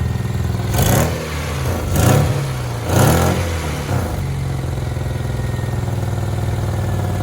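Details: 1994 Honda Accord after all distributor seals were replaced: three clean throttle blips rise and fall smoothly, then a steady, even idle with no misses or knocks. Engine runs healthy.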